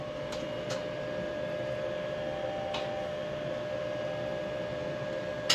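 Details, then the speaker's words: Rheem RTGH-95DVLP-3 condensing tankless LP water heater, DIY installed on basement studs, hot water on and burner lit: only faint steady fan whirr with soft clicks, no rattle; running quietly and normally. "No rattle, just a slight sound of a fan. That's it. Super quiet."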